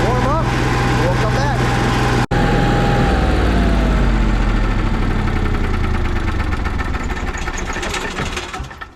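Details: Cummins 5500 generator with few hours, cover off, primed and started to warm up before an oil change: short crank, catches and settles into a steady, even low hum; normal start and idle.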